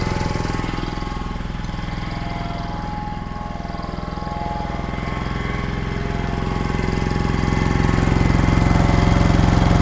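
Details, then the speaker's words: 1960s General Supply 260 air compressor, Kaiser Willys CJ2A engine, new electronic distributor timed by ear and slightly tweaked: steady even chuffing about three beats per second, building as it loads; runs smooth and cycles properly. "That is sounding really good. I adjusted it just a little tweak more."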